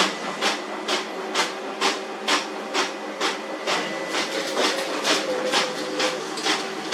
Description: This worn fuser drive produces loud noise an frequent paper jam.